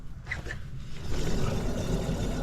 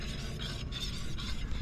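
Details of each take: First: Acura RSX jacked up, rear wheel spun by hand: deep, rough rumble droning with no clear ticking, unlike the other side's ceramic pad noise; worn rear wheel bearing, caused highway humming, hub to be replaced. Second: Acura RSX rear wheel hand-spun on jack stand, good side: soft rhythmic swish from ceramic brake pad contact, no growl or rumble; normal wheel bearing with light pad drag, unlike the other side's highway hum from a failed bearing.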